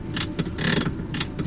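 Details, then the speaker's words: Maxus T60 pickup steering column, adjusted for angle. Short bursts of ratcheting gear clicks and gear noises from the adjuster as it moves, a cheap-feeling grind. Steering column adjuster gear noise, a refinement issue. "Ni satu lagi nampak bunyi-bunyi gear-gear dalam tu semua ni semua benda-benda yang memang masalah refinement lah ceritanya."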